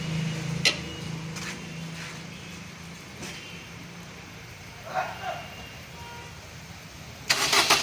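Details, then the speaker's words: Maruti Baleno with P0230 fuel pump primary circuit code, no-start: fuel pump relay bypassed with a wire so fuel flows; starter whirs a few seconds, pauses, then engine catches and runs; 12 V supply missing, fuse next. "गाड़ी तो start हो गया है, लेकिन मुझे ये direct करना पड़ा है।"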